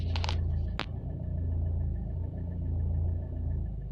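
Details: Renault Clio 3 dCi diesel idling cold: deep, lumpy drone with an irregular beat; unusual cold-start engine noise of unclear source.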